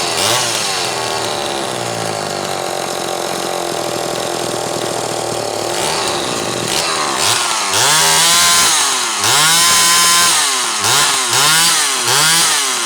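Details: Zama C2002 carburetor from a McCulloch Pro Mac 800, tested on a 54cc engine with different linkage and no idle screw, so it won't idle; needles turned in about half a turn; steady high buzz, then clean blips to screaming revs; running fine.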